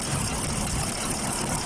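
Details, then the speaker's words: Chevrolet Caprice V8 at idle with engine vibration: uneven, lumpy low beat with dropped pulses; multiple misfire, no spark from the bank 1 coil, later traced to a cut ground wire at the back of the engine. "there's an engine [Music] vibration it's a V8 engine there's a no spark in the bank one coil"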